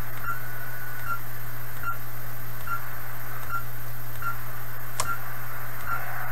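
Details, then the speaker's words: 1980s Kenwood TS-430S ham transceiver after Kenwood's bad-relay-contact procedure, antenna reconnected, afternoon: steady low hiss and hum with faint regular ticks; volume variations from antenna signal, not the radio; receiver now working, normal noise. "so i i think the variations in volume there are from the signal level on the antenna now not the radio"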